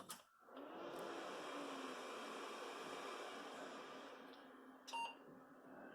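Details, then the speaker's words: Intel Pentium D 820 PC with an 80 GB IDE mechanical hard drive, running Windows 10: power button pressed, fan whooshes up to a steady even rush, then one short single POST beep; normal, healthy power-on. "And we'll hear that delicious boot up noise as we get stuff started."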